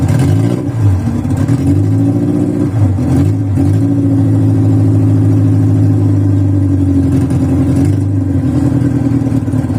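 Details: VW Voyage cold start after sitting many days, worn old mechanical parts: cold idle wavers and dips with stumbles before settling; rough cold idle while warming up, takes a couple cranks to start.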